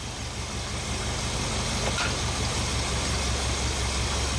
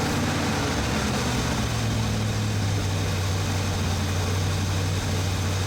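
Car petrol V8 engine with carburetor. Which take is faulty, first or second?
first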